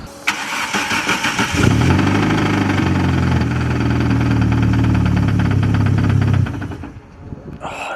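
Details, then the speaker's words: Highly tuned 450hp 4E-FTE at about 28 psi boost: brief crank then rough idle with a heavy, deep knock before shutting off; crew say it doesn't sound like a rod bearing and wonder about the flywheel; crankshaft later found snapped, main caps broken. "sounds deep doesn't it like it doesn't sound like a bearing but is it the flywheel have you heard rod bearings before yeah does it sound like that not exactly we've done a few rod bearings than this before that sounds different"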